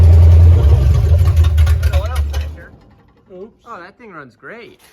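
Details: Crosley hot rod, first run after 20 years parked: the engine catches and runs with a deep, even rumble for a couple of seconds, pulling cleanly before fading. The fan isn't turning because the loose belt slips on a locked-up water pump.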